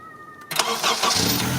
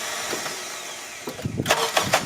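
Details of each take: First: 2001 Honda CR-V after fixing grinding, hard starting: new starter fitted and missing second mounting bolt installed; brief two-tone chime, then quick crank catching within about half a second and settling to idle; normal start. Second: 2001 Honda CR-V with a near-new battery: several crank attempts with harsh metallic grinding from the starter, and the engine never catches; the starter is failing and is to be replaced.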